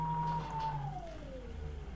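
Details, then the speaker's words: VESC 6 Mk5 controller on firmware 6.00 beta 40 driving an outrunner with silent HFI sensorless control at zero speed, around 60 A: high-pitched injection tone with a falling whistle and uneven low hum as rotor tracking slips under high current. "60 amps is kind of still working but it loses it quite a bit sometimes and if you do more than six dams it doesn't work equally well anymore"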